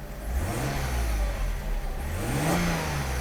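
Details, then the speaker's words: Mercedes W124 300E-24 (24V, 220 hp) after fuel distributor repair and new injectors and spark plugs, warm at 80°C, idling about 750–800 rpm; a quick throttle blip rises cleanly and returns to a quiet, even idle, engine mounts okay. "smooth. And very quiet. The yellow tag doesn't even shake. This means his engine mount is okay."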